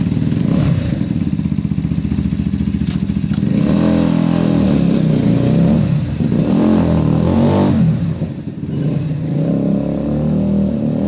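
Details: Zontes motorcycle after fixing its bad idle and cutting out at stops, valve clearances checked: engine pulls cleanly through the revs and back down without stumbling or cutting out; runs smooth, problem solved, normal running.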